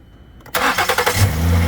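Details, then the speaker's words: Completely dead battery (no lights) jumped with a JF.EGWO 6000A (surge) jump starter pack; a few quick cranking pulses, then the engine catches at once and settles into a steady even idle: easy, healthy start. "my God, that easily cranked that. I mean, that was completely dead. I mean, no lights came on, and it easily started that."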